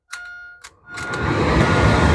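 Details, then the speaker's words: Porsche 944 left in the woods for a year, powered up with a battery, engine not running: brief chime then heater blower fan spins up to a steady strong airy rush; fan works and blows well. "Yep, fan works. And blows. Oh, it blows all right."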